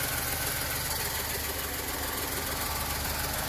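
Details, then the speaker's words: Volkswagen idling after an ABS pump error repair: a steady idle with a constant airy hiss over the engine hum. The owner suspects an engine vacuum leak, not confirmed. "I want to check everything on the engine side first because I I'm pretty sure that has a vacuum leak somewhere because I can hear that"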